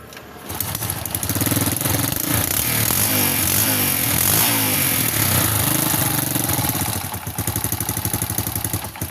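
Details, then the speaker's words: Yamaha Jupiter Z1 that came in with a kickstarter that slips and would not start on the starter, kick-started after teardown since the battery is uncharged. It runs with a rough ticking clatter over the exhaust beat, then dips. The mechanic suggests a rebore or cylinder block replacement for the slight noise. "Masalah bunyi berisik dikit itu nanti ya. Nanti si bapaknya ini saya sarankan untuk dilemer ulang atau di coulter. Kalau bisa itu diganti blok silinder, teman-teman ya."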